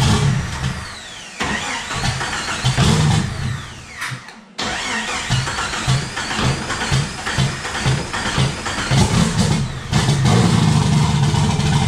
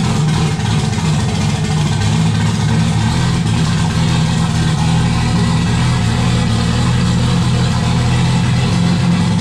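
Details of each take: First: Turbo Jeep on Megasquirt MS3X with 80 lb EV1 injectors, cam position sensor reset and base timing being set: cranks, catches and settles into a lumpy, uneven low rumble; engine starts and runs but still needs tuning. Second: Turbo Jeep on Megasquirt MS3X with 80 lb EV1 injectors, start after cam sensor and base timing reset: low rough rumble that wanders and needs throttle to keep running; owners suspect not enough air, possibly the old idle air control.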